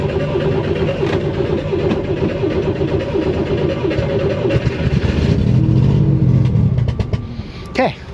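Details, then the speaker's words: 1969 Corvair (paperwork says 69) flat-six, unrun for years: cranks, catches and runs rough a few seconds on carburettor cleaner spray, then dies; fuel starvation, gummed carburettor idle passages suspected, cause still unknown. "so we know we got a lack of fuel now all we got to do is figure out why"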